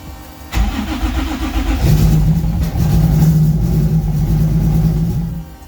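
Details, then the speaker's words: 1995 Nissan 240SX with built 2JZ-GE (non-VVTi block, VVTi head, BC276 cams, aluminum rods) on its first start after the build: rough, lumpy, stumbling idle, dead on a cylinder, because the coils were wired backwards and the firing order was wrong. "my god it's it fired but it's it sounds like it's dead on a cylinder let me investigate"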